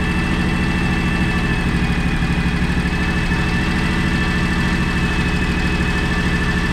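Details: John Deere X729 mower/tractor after a complete service including an oil change: steady, even mid-pitched idle with a smooth, constant beat and no knocking or misses; normal idle.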